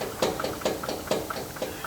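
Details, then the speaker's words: 2011 Subaru Outback front CV axle worked by hand on the lift: sharp evenly spaced clicks, about four a second, from a worn axle; the car vibrated in the front end from about 15 to 40 mph. "It just feels like, it almost feels like an axle shaft or something, like not in balance."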